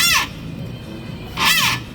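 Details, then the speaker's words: Precor treadmill: two loud, high screeches as the belt is loaded when walked on, drive pulley slipping on the front drive roller; front roller needs replacing. "If you just start the thing up, and when you tread on the treadmill, if you get a loud sound like that when you go to walk on it,"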